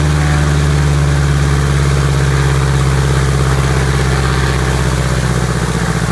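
Deep, steady drone at high power holding an even pitch with no misses or knocks; a healthy piston engine at run-up.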